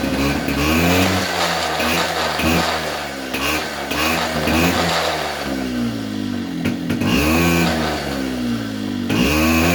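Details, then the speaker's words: 2004 Polaris Predator 50 two-stroke mini quad after new carburetor and float height correction: crisp buzz climbing cleanly from idle on each throttle blip without hesitation or flooding, settling back smoothly; healthy carburetion. "notice how it was responding to throttle you know even from dead idle when you floor it it would pick up momentum you know pick up rpm without hesitation without sounding flooded or anything"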